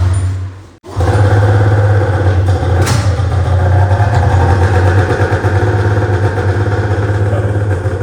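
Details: Snowmobile (rare ZR) after siphoning old fuel and adding fresh gas, fuel pump cycling and pressurizing: a cord pull and it catches into a loud, steady two-stroke run with no misfire. Starts and runs healthy.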